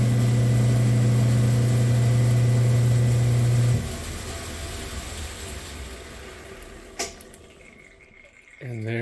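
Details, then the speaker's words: Saw with repaired auto shut-off on slow screw-driven carriage: steady, even motor hum that cuts off cleanly by itself without a click; shut-off working again after repair. "it stops without even clicking don't get the satisfaction of the final click but it turns off on its own so it's working again"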